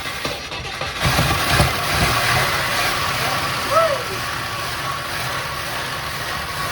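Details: 1961 Chrysler Newport big-block V8, first start after sitting behind a building for years; some smoke seen, fuel pump working: steady, even idle under cheering and chatter, no knocks or misses standing out; sounds healthy.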